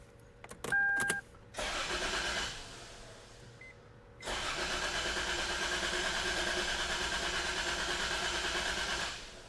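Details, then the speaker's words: 1999 Toyota 4Runner during a rough-idle and cylinder-misfire diagnosis: the starter cranks steadily at about three pulses a second but the engine never catches, because the PCM was left unplugged after testing. "okay we're not starting yet and that's because I didn't plug the PCM back in"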